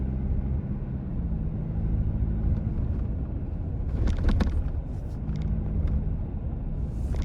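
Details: 4th-generation Toyota Tacoma driving over bumps, recorded from the cabin; over steady road rumble, short bursts of plastic clatter point to a loose tray behind the screen rattling against the dash.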